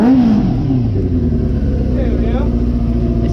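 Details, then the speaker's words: 2005–2008 Yamaha R6 after rebuild/conversion, battery not yet fully charged: steady, even exhaust note climbing smoothly with throttle, no misses or knocks; running healthy. "good it sounds like it's running healthy it sounds like it's running healthy"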